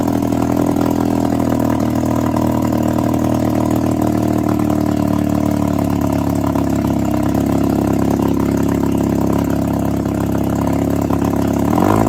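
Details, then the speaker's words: 1962 Viking 15 hp two-stroke outboard after refurbishment with replaced coils and set points, running on a flush hose: steady, even buzz without misses or surging; runs cleanly. "It's uh It sounds like it'll run pretty well. So, uh, I'm happy with that."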